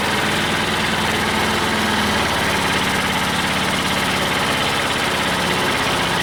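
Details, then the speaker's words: Old Detroit Diesel two-stroke four-cylinder dozer warming up at a slow, lumpy idle with missing pulses, after the Bon Ami cleanser trick. It sounds slightly better, but two cylinders are still dead (compression was 150/90/0/0), possibly from stuck valves. "so so it always does is when it warms up but it actually does sound a little tiny bit better"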